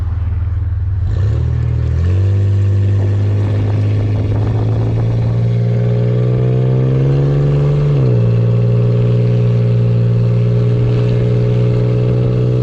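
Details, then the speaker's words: Ford Ranger rebuilt engine with new lifters and head, valve cover and exhaust gaskets after oil pump failure, on its first test drive: clean, smooth note climbing evenly with throttle and settling back, no knocks or clatter; normal running under load. "sounds pretty good too bad we're gonna let it run for a little bit probably a few miles through it just to make sure everything you know"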